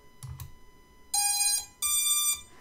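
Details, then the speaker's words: 6S long-range quadcopter ESCs after setup and motor direction reversal in configurator: two short high beeps then two longer bright tones about half a second each, signalling setup complete. "then when you hear the tones, you're done."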